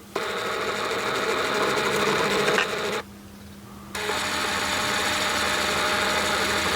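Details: R32 Nissan Skyline GT-R ATTESA 4WD pump with green/yellow wire behind driver's kick panel unplugged, commanding constant line pressure: steady electric whir, faint even buzz, louder than fuel pump, running without cycling off, normal.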